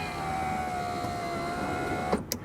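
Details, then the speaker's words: 2000 Toyota Camry rear door power window after regulator replacement with genuine Toyota parts: smooth, even motor hum while the glass travels, then a clean stop with one soft thud. No popping or banging; repaired. "And no noise. So, all we have left to do is torque these 10 mm and reverse and put everything back on."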